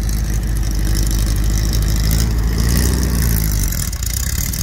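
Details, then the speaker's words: Dune buggy after new transmission mount and reconnected fuel lines: deep, loud uneven loping idle with faint chatter; motor hopping gone but carburetor not happy, possibly front transmission mount too. "well the motor's not hopping around like it was something happened the carburetor is not happy"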